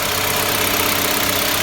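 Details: Car with automatic 1.5 engine, battery negative fully disconnected, started with a small jump starter and idling: steady even hiss-laden idle with no misses, knocks or stumbles; normal idle.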